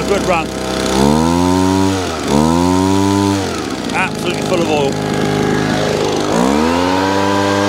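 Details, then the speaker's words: Small two-stroke leaf blower that wouldn't start, run on the owner's pre-mixed fuel: buzzes up and sags unevenly, bogging and recovering, very smoky. "let's have a look now so it happens but running but very no a smoky"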